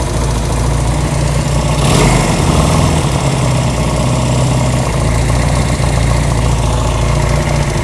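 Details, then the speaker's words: Honda CB200 twin with aftermarket carburetors, just adjusted (slide position set at handlebar adjuster, then carb tuning): steady low even putter with no misses or hunting, idle holds flat; idling cleanly, sounds way better now. "Okay, that actually sounds way better now."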